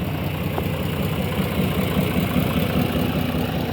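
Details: Tractor at idle during hay mowing: low, steady diesel chug at roughly two and a half pulses a second, even and unbroken with no rattles; normal healthy idle.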